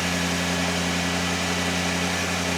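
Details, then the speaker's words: 1974 Lincoln Mark IV V8 revived after 36 years parked, cold with choke on and fast idle, charging: steady even low hum with no knocks, misses or surging; running smoothly and healthily. "Boy, she sounds good. >> Sounds great. Uh idle's on right now because choke's on."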